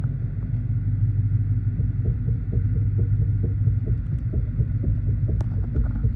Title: Steering knocking noise dodge challenger charger Chrysler 300